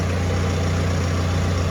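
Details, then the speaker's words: 2011 BMW E91 diesel with 6HP21 automatic, first cold start after a gearbox replacement that cured a previous ringing. The torque converter is not yet full of oil. Steady even idle with a smooth low drone and no ringing or rattle: normal. "Гублик ещё не набрал масла, насос ещё не накачал, но уже всё хорошо. Так что, ребят, по крайней мере шум мы побороли."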